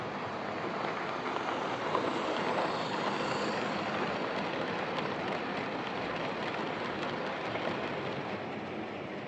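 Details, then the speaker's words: Old Lima Class 31 model locomotive in freight livery after overhaul with an extra pickup added on the front bogie, running on the layout: steady, even whir, no surging or stutter, consistent speed; normal running. "So there we are, that's this old Lima Class 31 running, and running very nicely. It makes quite a satisfying whir as it runs, and its speed really consistent."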